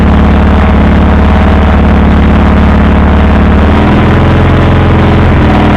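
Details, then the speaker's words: WAR Corsair airplane engine after carburetor taken apart: rough, lumpy low idle with deep uneven firing pulses sagging partway, idle set too low; still running rich, occasional start backfire. "So as you can see, I got it running. I pulled the carburetor apart. Still running rich."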